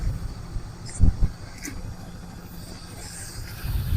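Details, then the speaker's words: 1971 Buick Skylark idling on its fuel pump: uneven low idle with sharp exhaust pops and backfires; owners suspect a miss from a damaged spark plug wire. "Just let her idle for a minute. But she's sitting there idling backfiring a little bit. So maybe we got to miss Well, this spark this spark plug wire's bad spark plug wire."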